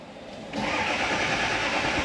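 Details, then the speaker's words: Early-2000s Ford F250 Super Duty with 7.3 Power Stroke diesel, about 400,000 miles; cranking at full throttle with weak uneven catches, never starts; injection control pressure far below the 500 psi needed, code P1212. "She's trying. Nah. Okay, here's our new code. P1212. Injection control pressure not at expected."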